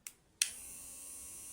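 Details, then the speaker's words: Rechargeable hair clipper after a burnt MOSFET in the motor circuit was replaced with a diode; a click, then a steady high-pitched buzz at even speed as the DC motor turns, running normally. "So you can already hear the buzzing sound. You can see that the motor is turning."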